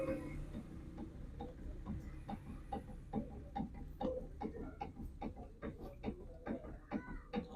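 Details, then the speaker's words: Steering rack knock: sharp irregular knocks, about two per second, each time the steering is moved with the rack boot removed; water has got inside the steering rack and the rack bush is worn, steering moves up and down. "ये इसके अंदर से आवाज आना शुरू हो गई है इसके अंदर ना पानी चला गया स्टेयरिंग के अंदर जिसकी वजह से यह टक टक कर रहा है"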